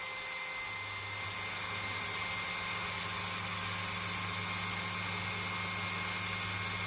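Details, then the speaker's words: Older Philips hand mixer after gearbox regreasing, lowest speed: smooth even motor hum speeding up as grease settles, no rattle or grinding; normal running. "you can see that as you hear it starts running faster faster so the grease is finding its place and this is as beautiful a sound as you can ever get out of these things"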